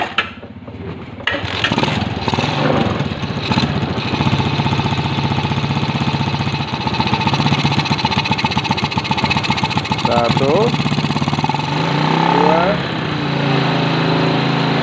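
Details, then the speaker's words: Old Suzuki Shogun motorcycle, small single-cylinder carbureted engine, idling before carburetor adjustment: idle wavers and stumbles, not smooth, unstable, with throttle blips late; carburetor/air screw mixture setting wrong. "Nah kelihatan disitu lamsam sedikit Hai tidak mulus ya lamsamnya sama sekali tidak mulus dia kayak dibilang tersengat tidak dibilang Brebek tidak tapi agak tidak stabil"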